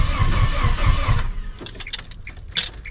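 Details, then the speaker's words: 1997 GMC half-ton, 5.7 V8, automatic: quick, even cranking at about four beats per second that never catches. Timing chain jumped time, still connected; compression about 30 psi at best. "She jumped time, y'all. That's right. She jumped time. She has no compression."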